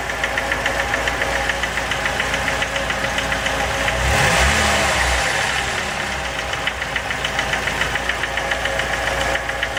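Steady rhythmic knocking at about three and a half per second over a running idle, a clear mechanical knock from inside the engine.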